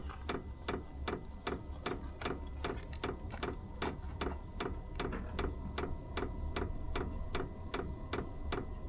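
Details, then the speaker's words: Vevor 5kW diesel heater starting up with an aftermarket Wayska fuel pump said to be quieter: sharp, even clicks about two and a half per second over a low hum. The dosing pump ticks loudly. "And it's supposed to be a lot quieter from all the reviews I've seen, but I figured I'd check it for myself and make a video about it. So this is what the fuel pump sounds like starting up."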